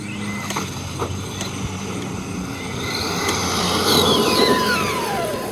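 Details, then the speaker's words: Arrma Granite RC truck with 3S brushless system, after replacing a broken slipper clutch: motor whine climbs fast under throttle while the truck barely pulls harder; acceleration better but the slipper clutch is still slipping. "okay so the acceleration is definitely better but listen yeah the slipper clutch has given up a little bit which I guess that's what it's there to do"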